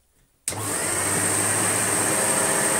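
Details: Sebo Automatic X1 upright vacuum, bought non-working, switched on after repair and reassembly: sharp switch-on, then a steady, even motor roar with a clean high whistle; running normally.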